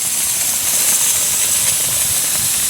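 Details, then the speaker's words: In-ground sprinkler blowout with a 22-gallon air compressor, zone 3 second blast: steady high-pitched rushing hiss of air with faint sputter; about 90% of the water is out, other heads nearly dry. "But definitely a good 90-some-odd% is out of there. And as far as the other heads, I don't see much of anything."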